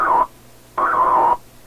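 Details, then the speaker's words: Atwater Kent 944 vacuum tube radio: rough, buzzy tone near one kilohertz in bursts over a faint low hum; interference from a sleeping office computer's power supply 20 feet away, gone once the computer boots. "That's my... If I go start up my computer, this sound will go away."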